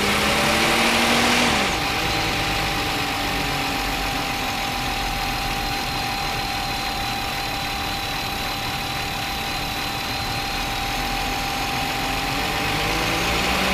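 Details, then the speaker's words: 2009 VW Touareg 3.6 L at idle with check-engine light, codes P0507 idle rpm higher than expected and P2187/P2189 system too lean banks 1 and 2: idle pitch sags and climbs; idle surge from vacuum leak, PCV valve stuck open. "complaint is an engine light and engine RPMs changing let me take you this cancel so we have APO 507 idle control system rpm higher than expected"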